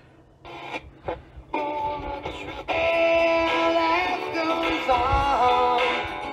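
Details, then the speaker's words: 1984 SMURF twin-speaker transistor radio after battery-clip de-rusting and nickel plating, switched to FM: clear full-toned music, no hiss, crackle or dropouts; FM reception proper. "all right this is FM of course as you can tell this radio is just as you could tell his son just incredible for this little 80 midi radio"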